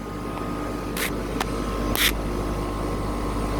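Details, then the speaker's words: 2000 Tempstar central air conditioner outdoor unit with scroll compressor, just after startup; steady low hum with a couple of sharp clicks, no knocking or rattling. Normal compressor running. "It was a good sounding scroll, not gonna lie. This is a good unit right here."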